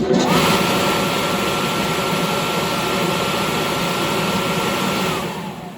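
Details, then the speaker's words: Victoria Fans 2 HP steel exhaust blower, 3-phase motor rated 1740 RPM, wired at 480 V, 12-inch inlet, running: a smooth, even fan rush with a steady mid-pitched motor hum, no knocks or rubbing; a quiet, normal unit. "Very nice, quiet unit."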